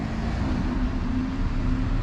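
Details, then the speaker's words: BMW R1100RT motorcycle suddenly running badly, suspected bad fuel: low, uneven, stumbling idle as if one cylinder isn't firing; injectors spray, fuel pressure acceptable but doubted, intake manifolds dirty and sooty; cause not yet confirmed. "Motor je iz čista mira počeo loše da radi, kao da jedan cilindar ne radi."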